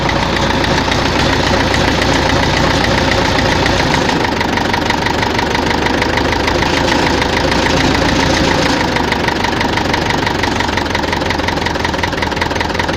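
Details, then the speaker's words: Tractor diesel idling with a rough, repetitive knock over the clatter, heard at idle and mid revs, not at high revs; fuel pump and injectors checked, not the cause; head removal found damage in cylinder 4: worn cylinder. "На оборотах не чуть його, а оце на холостих, на середніх."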